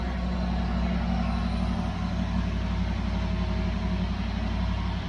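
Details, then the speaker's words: 1973 Dodge 318 LA V8, first start after sitting about 10 years, on a run stand, warm with 50 psi oil pressure: steady, deep, even idle burble; the earlier lifter tick has gone. "Yeah, no more lifter tick. Yep. Man, it sounds good. It does. Sounds great."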